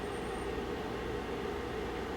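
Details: Space heater (750/1500 W) after repair of a stuck, dry fan bearing that was lubricated: even, steady fan whoosh with a faint constant hum, no squeak or chirp; fan running normally.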